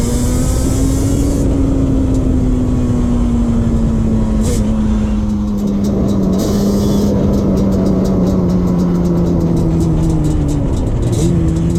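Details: 2001 Yamaha Banshee 350 two-stroke cruising on a POV ride with early shifts, after new clamps fixed an exhaust leak. Loud crisp drone pulls cleanly up through the revs, no puffing or ticking from the exhaust joints; normal exhaust.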